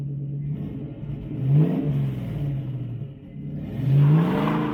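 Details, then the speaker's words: 1966 Mustang with swapped 4.6L Modular V8 and new 2.5-inch straight-pipe exhaust with downward dumps: deep, smooth burble rising cleanly on two blips and settling to steady idle; a coolant hose blew off when revved to 6000 rpm. "all right i am so happy with how that sounds that sounds so great"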